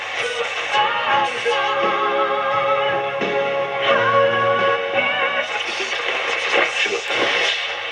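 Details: 1960 Philips B6X04A valve radio: clear music at an even level with no crackle, hum or fading; receiving and playing properly.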